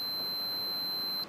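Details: Multimeter continuity test on new 3 A 250 V 6x30 mm glass fuse for a Blue Hawk small air compressor that stopped working: steady high continuous beep over a second, then silence; new fuse good, old one burnt out.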